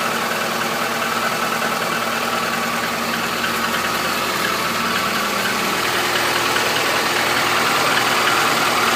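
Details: 2014 Chevrolet Niva, 100,000 km, cold start at −15 °C: steady light tapping about three per second at idle, lessening as it warms. Lifters fine, compression normal, present since new. Engine knock, source unclear.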